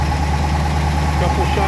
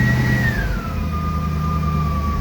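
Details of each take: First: 1963 Studebaker Avanti R2 out of storage, just started after starter fluid got fuel up to the carburetor: a steady, even low rumble at slightly raised idle, no misses or knocks. This is a normal idle. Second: 1963 Studebaker Avanti R2, first start after storage: the engine fires and revs briefly, tone sagging, then dies. It is stalling from fuel starvation at the carburetor, not yet drawing fuel up.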